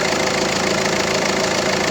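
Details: Peugeot 307 1.6 HDi diesel at high idle around 800 rpm, with a fast, light clicking ticking on top that appears only intermittently; traced to the alternator overrunning pulley locking up, causing the clicking.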